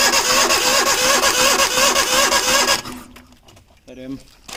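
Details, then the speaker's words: Eon total-loss car, cold, rain-flooded engine full of rust from outdoor storage, oil not changed, cranked on the starter to keep rust from going into the cylinders: steady cranking about three pulses a second with squealing whirr, then stops. "ഇതിൻ്റെ ഉള്ളിലെ തുരുമ്പ് കാര്യങ്ങൾ ഉള്ളിലോട്ട് സിലിണ്ടറിൻ്റെ ഉള്ളിലോട്ട് പോകാതിരിക്കാൻ വേണ്ടിയായിരുന്നു self അടിച്ച് കളഞ്ഞത്. ഫുള്ള് തുരുമ്പൊക്കെ കയറിയായിരുന്നു."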